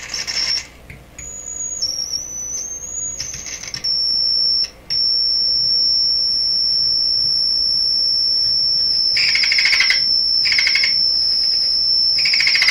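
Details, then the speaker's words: DeForest 10DA517 AM tube radio with glass tubes instead of specified metal ones: steady piercing whistle near 5–6 kHz with fainter higher tone; one of multiple oscillations, cause not yet found. "so there's multiple oscillations in this radio and there's the one you can hear the high pitched garly thing"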